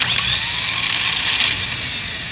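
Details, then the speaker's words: Car cranked but won't start: high, steady whirring spin with no engine catching; the starter turns freely without engaging, likely a worn bendix (starter drive gear). "te ha pasado que vas a encender tu auto y el motor no enciende y si tienes un sonido como"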